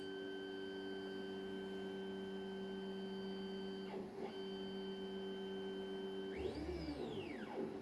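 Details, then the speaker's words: Redvision X-series PTZ CCTV camera datum check, checking alignment and wiper motor: steady electronic whine, then short whirring sweep rising and falling as head moves; normal wiper motor self-test. "so when at midnight it will do this what it's doing now is it's checking its alignment to see if it's being moved also checks the wipers working"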